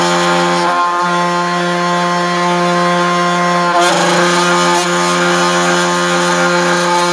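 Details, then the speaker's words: All-aluminum 3018 CNC router running: loud steady buzzing hum with strong low drone that quiets when the Z-axis linear rods are pressed; loose Z rods vibrating, causing endmill chatter. "so i kind of narrowed it down to what it seemed like these linear rods here the z-axis linear rods so what's weird is when i push on them uh it actually makes it quieter"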